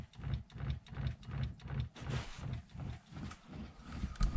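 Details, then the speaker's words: Talbot Express motorhome fresh-water tap pump: regular low thumping, nearly three pulses a second, as the pump keeps clicking on and off; recurring fault, likely a clogged filter under the pump, inline filter planned. "oh yeah you can hear pump doing it clicking on and off"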